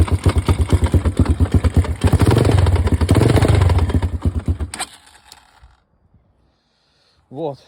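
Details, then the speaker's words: Kayo K1 single-cylinder engine: heavy, fast, regular knock over each firing, then shut off; centrifuge and clutch basket checked fine, valves suspected but sound doesn't fit, cause unknown. "Мне нужна помощь. Короче, К1 появился какой-то стук в моторе."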